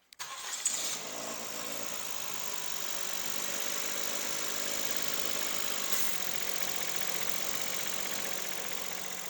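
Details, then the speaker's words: Suzuki Stingray, microphone at the engine: it cranks and catches, gives a brief high chirp, then settles into a steady hissy idle. The serpentine belt slips on a worn alternator pulley, squealing in D with headlights and A/C on; it was mistaken for brake pads. "É só de eu ligar ela, pôr no D e no caso acelerar com os faróis ligados e o ar-condicionado, ela já está patinando. Ela já fez aquele barulhinho, aquele gritinho de parece um gri"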